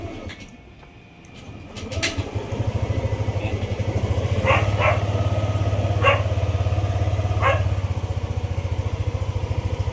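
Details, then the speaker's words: Yamaha Aerox 155 V1 scooter that stalled, after fuel filter and CKP sensor replacement and cleaning, run for a 30-minute stall test; starts after about two seconds and settles into a steady even putter with no stumbles; normal idle. "mga bossing, itong motor na to kanina pa umaandar. So as you can see, nabalik na natin yung mga kahari ko sa motor na to."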